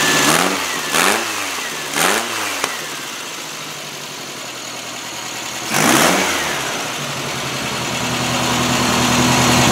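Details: Freshly rebuilt VW air-cooled flat-four with header exhaust, electronic distributor and high-energy coil, in a 1957 Porsche 356 replica kit car, first start: quick blips back to an uneven fluttering idle with faint pops, timing not yet set.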